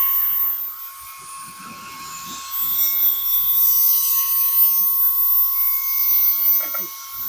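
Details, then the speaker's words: GOOLOO F3 electric air duster (150000 RPM, 3-speed, 5000mAh USB-C rechargeable) running on medium: thin high-pitched whir holding steady with even airflow hiss; on high it drops off after a while, low and medium hold; normal running. "Now I will mention with most of these, including this one, when you're on high, it will stay really high for a little bit, but then you'll hear and feel it starting to go down. But usually on low and medium, it'll stay on there for quite a while."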